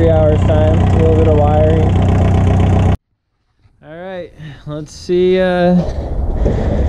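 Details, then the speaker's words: 1981 Volkswagen Rabbit diesel that had not run in 15-18 years, revived in about two hours: steady, even diesel clatter at idle for a few seconds, no misses or knocks, then shuts off; healthy idle. "that was a very successful day in about two hours we made this rabbit that has not ran in 15 to 18 years obviously run and start right up again"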